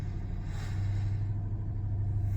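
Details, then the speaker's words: 2011 Ford Crown Victoria LX, first start after sitting 2–3 weeks, started on the first try: a smooth, even low idle with no knocks or misses that is beginning to idle down while warming up; normal cold idle. "and real quick while it's running and warming up just making sure that uh yep it's starting to idle down so that's good"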